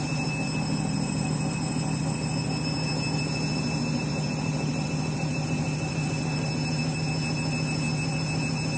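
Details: Washing machine final spin after a very sudsy final rinse (possible suds lock, load sensor deciding speed): loud steady roar with a faint high whine on top; the spin is abnormally noisy, cause unclear.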